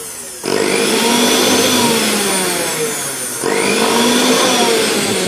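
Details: Juicer mixer grinder that would not start, after its cutoff/overload switch was replaced with a matching 1.6 amp one: a loud, high whirr starts abruptly, dips briefly near three seconds, then runs even. Motor working normally.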